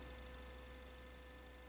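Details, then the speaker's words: Brinsea Mini Advance egg incubator just plugged in: steady, even low hum with a faint constant whine, no knocks or rattles; normal egg turner motor hum. "you can hear that humming and that's because it's actually got a motor here that actually will turn the eggs for you"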